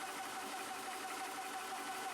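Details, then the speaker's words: Air Venturi Nomad 2 portable PCP compressor, started with the bleed valve open (no pressure), gauge set to about 250 bar: a steady electric hum with fast, even pumping and no knocks or rattles; compressor running normally. "then you hit the compressor on button you'll hear it start pumping at that point you're going to close your valve"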